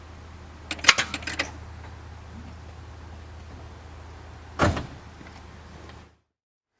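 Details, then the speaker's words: 1997 Ford Crown Victoria Police Interceptor, no start with a 12.31 V battery: turning the key gives dry clicks but no crank. The cause is a voltage drop at a corroded battery cable clamp. "okay customer complaint 97 Crown Victoria Police Interceptor is it's a no start you turn the key clicks"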